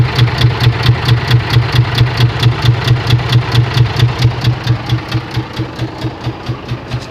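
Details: Scania 124 diesel: sharp, even knock about twice a second over the low idle, steady throughout; internal engine knock, cause not yet pinned down.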